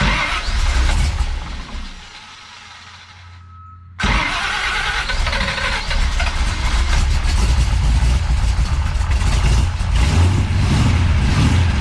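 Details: Big-cam big block Chevy with rebuilt Holley 750 double pumper, after drilling holes in the throttle butterflies: cranks briefly, catches at about four seconds, then a loping, uneven idle that rises and sags; closer but still not right.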